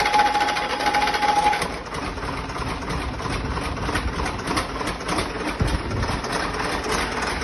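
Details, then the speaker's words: Rebuilt diesel engine's first start on 24 V jump leads with oil pressure gauge fitted: catches and settles into even idle with light regular ticking, no knocks or bangs; started very easy, only an injector pipe leak. "overall, I have to say I am delighted with that. It's started up very easy. And, uh, no major leaks or bangs"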